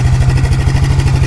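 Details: Kawasaki 300 4x4 ATV single-cylinder after new NGK spark plug and new air filter for a no-start: even, steady low thumping with no misses or knocks; normal idle.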